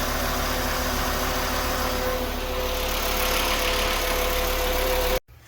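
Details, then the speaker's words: 2011 Volkswagen Jetta after belt tensioner replacement to cure a squeaky belt: steady, even idle with no chirp or squeal, smooth hum until shut off; normal idle. "Crank it up. No more squeal."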